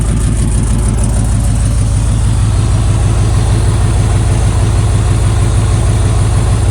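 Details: 1995 Buick Roadmaster Estate Wagon that had sat for years, first start after fuel priming: a deep, steady V8 idle with an even low burble and no knocks or misses, though coolant spilled from a missing upper hose clamp.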